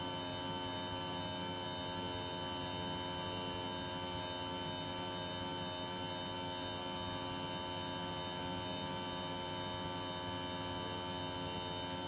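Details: Panasonic split-system air conditioner running abnormally loud: a steady drone with many fixed tones, no cycling or rhythm; cause unknown.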